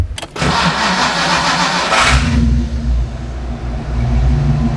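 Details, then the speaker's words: Fox-body car with a hot-start problem the owner blames on heat soak; after a new starter and timing adjustment, hot restart: brief crank, then catches immediately into a steady idle; owner thinks the issue is solved. "yeah i think that did it well i'ma test it out today and um drive it to work try it again see what i get but anyway i think that might have solved it so we're good to go with the uh heat soak issue"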